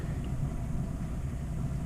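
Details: New hot water heater with a new gas valve and spark ignition, sealed vapour-proof unit, lighting after the gas is turned on: a steady low roar starts and holds evenly with no popping or sputtering; normal burner firing.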